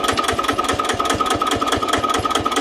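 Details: Old Japanese Daiden D200 welder/generator set (110V, 12V DC) driven by a single-cylinder diesel of roughly 10 hp, idling with an even thump about seven beats a second, no misses or knocks; runs smoothly.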